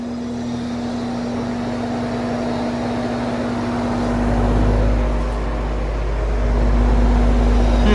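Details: Vintage Sears box fan, exhaust direction: steady low motor hum under rushing airflow, near-normal medium speed but slows right down on low; owner suspects bad windings, possibly bad switch, unconfirmed.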